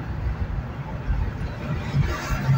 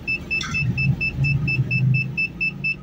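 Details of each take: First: 2008 Ford Explorer Eddie Bauer, driven under load while changing lanes: deep uneven drone surging and sagging as two or three cylinders cut out (possibly cylinder five); intermittent misfire. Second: 2008 Ford Explorer Eddie Bauer with a misfire history on cylinders 5 and 7, loaded in reverse during a power balance test: steady engine drone under the reverse beeper, no stumble, all cylinders firing evenly.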